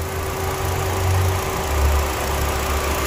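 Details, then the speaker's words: 2017 Kia Morning Si 4-cylinder car at idle; low even hum with faint steady whine, no knocking or misses, described as very smooth, healthy engine. "Đó, máy đang hoạt động. Độ êm ru. Này nữ chạy thì quá ok rồi."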